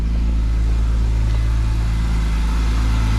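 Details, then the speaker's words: BMW E46 M3 S54, dead cold start, full service history to 90,000 km and none since: deep, even, smooth idle with no ticking or rattle, sounding normal. The owner suspects a VANOS knock from dirty oil. "I mean, that is a dead cold start, and it's smooth, it's quiet, everything sounds good."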